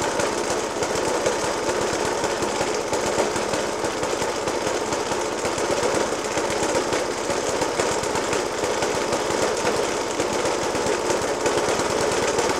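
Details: Suffolk Punch 30S, 1991 era, small single-cylinder with Dellorto FCH 20 carb; after new spark plug, decoke and carb clean, still rough idle with a rapid, hammering bang running steadily throughout; cause unclear.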